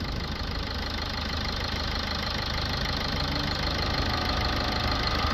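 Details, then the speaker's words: Toyota Auris 1.4 D4D diesel with P2463 blocked DPF, idling while cleaning fluid is injected at 130 psi: steady diesel clatter about three beats a second, evenly paced, no misfire; sounds like a proper diesel, normal idle. "Engine sounds nice on this. Sounds like a proper diesel."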